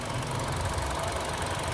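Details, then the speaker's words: Chevrolet Trax after cylinder head work and engine repair, restarted to bleed air from coolant; short smooth even idle, low steady rumble, no ticking or misses; now quiet and fine. "Kailangan natin mag-bleeding mga bossing para walang hangin yung kulant. Tahimik na dol. Ayos na."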